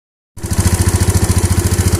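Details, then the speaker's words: Yamaha Mio scooter brought in for harsh engine noise: starts and settles into a hard, choppy, coarse pulsing at about ten beats a second; rough running, cause not yet found. "saya kedatangan tamu motor menguji dengan suaranya yang kasar sekali seperti ini ya coba dengar"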